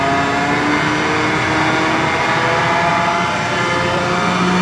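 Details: F12-090 hydraulic motor torn down and reassembled, run with no load on a larger bench pump at over 3,000 RPM. It is reversed to check both directions. Smooth, constant high-speed tones, no squeal or rattle in either direction; healthy.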